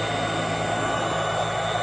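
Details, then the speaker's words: 1991 Royal Model 882T upright vacuum, just reassembled with motor brushes reinstalled after loose brush screws, probably long unserviced; running on the floor: steady motor hum with even high fan whine, good suction, no rattle or surging, normal. "Probably one more click. There we go. Quite a bit of suction. It sounds completely different."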